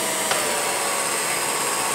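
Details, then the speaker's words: 1949 Revere P-90 8mm silent projector during restoration, run with the clutch engaged after oiling with 3-in-1: a steady, even whir with a high hiss and no knocking or grinding, a little quieter and smoother than before oiling. "I'm noticing it's a little bit quieter. A little smoother."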